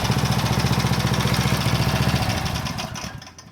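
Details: Power Trim edger's small single-cylinder engine, which had been hunting and would not hold speed, now pops along at a steady, even beat with no surging after a new Pulsa Jet carb kit, then winds down; runs smoothly.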